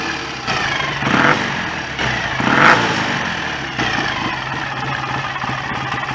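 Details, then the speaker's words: BSA A65 twin after engine rebuild, idling during strobe timing check: steady, even low beat, no knocks or rattles, a few handling bumps; no leaks, smoke or horrible noises, healthy. "sounds fairly happy with life to me [Music] don't seem to be any nasty leaks or smoke or horrible noises"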